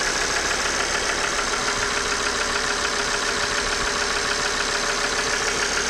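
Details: Idling engine with rapid even ticking knock, about three or four per second, over bright clatter from failing injectors and oil pump; diagnostic tool showed no fault, noise gone after replacing both.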